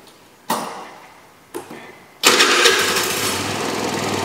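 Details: Chinese GY6 scooter, previously crank-no-start with no spark, after ignition fix: a couple of cranking attempts, then it catches and settles into a steady run without misfires; normal running.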